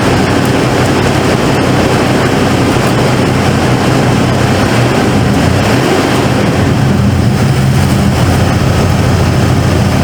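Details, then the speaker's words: 1995 Ford F-150 V8 barn find, long sat and previously missing, boosted after dead battery: steady deep drone with even beat under throttle, no misfire or stumble left; now running smoothly. "now she SM had that little stumble at first smooth throttle oh yeah"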